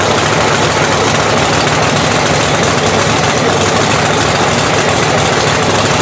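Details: Blown 3,500 HP Hemi drag truck after an overnight rebuild. Loud, harsh, uneven idle with a lopsided beat; number two cylinder is dead, a cold plug that hasn't cleared out, which the blower sometimes causes.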